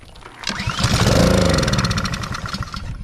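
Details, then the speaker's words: Honda GCV engine on a Blackmax pressure washer: pulls over, fires and sputters unevenly about two seconds then dies; spark present, fuel starvation because the fuel valve was left closed. "all right as you see it fired up so that means we got sparked and but it didn't continue running so that means that we have some type of a fuel issue"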